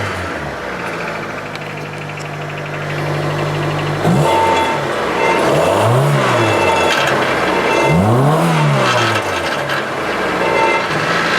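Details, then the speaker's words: 1999–2000 Honda Civic EX 1.6 VTEC D16Y8 revved in slow sweeps: strained, muffled, choked exhaust note. The catalytic converter is clogged after its catalyst broke loose, following an earlier rattle, causing about half-power acceleration. "You'd try to accelerate and it felt like you had like half the horsepower as normal, so indicated a plugged exhaust. Now if you listen, I'll rev it, you'll hear it."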